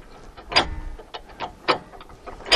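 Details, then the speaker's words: Hi-Lift jack being lowered under load with the reversing lever down: sharp separate clicks about once a second as the pins pop in and out, a second click on each downstroke, normal operation. "you can see the pins popping in and out and hear the clicks and you hear the second click on the downstroke that means you can come back up until you hear the click on the"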